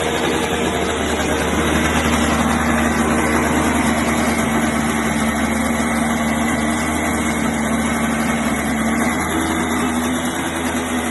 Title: KART First start after rebuild